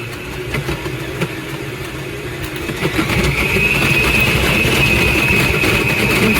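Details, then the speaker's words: Aucma 6.5-QT 660W 6-speed tilt-head stand mixer makes a harsh, gritty grinding that pulses about four times a second and grows louder and denser; the mixer also walks and locks. "So, this is the mixer that I've had and you can hear the grinding sound."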